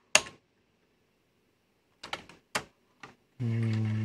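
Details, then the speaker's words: National NV-G21 VCR fitted with known-good electronics from another unit, old test tape: sharp mechanism clicks then a smooth, slightly rising motor whir on fast forward and rewind; transport working normally. "let's see what this does back on that overlay so we can see if it does anything good we'll just check fast forward yes rewind"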